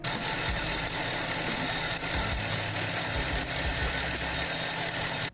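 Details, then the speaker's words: Drive/alternator ribbed belt squealing constantly at idle: high thin squeal with sharp chirps about once a second; belt slips on pulleys, worse in sub-zero cold as rubber hardens. "и третий вариант это когда ремень постоянно скрипит на холостых оборотах самый надоедливый звук"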